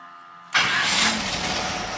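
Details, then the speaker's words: GM small/large-block V8 with new Summit Hi-Torque SUM-829105 starter, after fixing cover rub: V8 catches almost at once and runs steadily; starter cranks with real power, rubbing noise gone; normal start. "started with real power last time yeah and now it's quiet I don't even know if you could have heard that before but it was making a rubbing noise"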